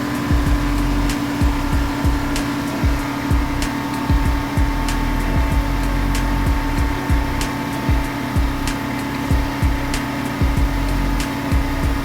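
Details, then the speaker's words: 1989 Chevrolet R3500 dually, R134a AC retrofit, engine at 1500 rpm charging first can: loud steady compressor hum with rough clunk about twice a second; noisy compressor, relief valve later spurted oil. "That compressor's loud. That's one can."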